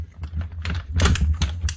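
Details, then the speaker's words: Virutex MC16L self-feeding door lock morticer, hand-cranked: irregular sharp clicks with uneven gaps as the ratchet feed steps the motor down each rotation; worn, binding ratchet feed mechanism, possibly a missing bush; machine starts struggling after 10–20 minutes. "So the ratcheting system, it's awkward to show this on camera because it's a big clumsy machine. Something's not right there."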